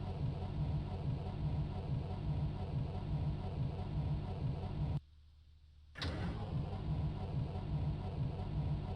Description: It's a cold damp morning in Germany. I go to start my MB bus but it ain't having any of it.